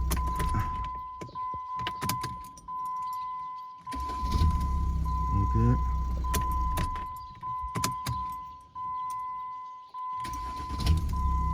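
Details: Jeep Grand Cherokee WH 3.0 CRD diesel, start test after replacing the starter: short, quick cranking bursts, and the engine catches promptly each time and settles into a steady idle. The new starter sounds healthy; normal start.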